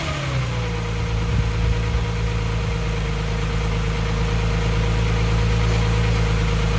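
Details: Nissan 350Z VQ35DE, first start after valve stem seal and timing chain replacement: steady, even idle with smooth low rumble and faint constant high belt squeak, suspected from a loose belt; engine otherwise running fine.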